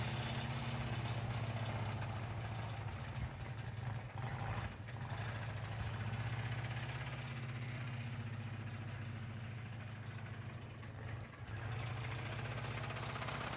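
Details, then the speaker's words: Mildly chilly start of a blown engine: loose, hollow banging about four times a second under the idle, persisting while the engine still makes oil pressure. The sound points to a spun rod bearing, confirmed as rod knock. "oh yeah I mean I mean it sounds blown up but that doesn't mean it's really blowing up"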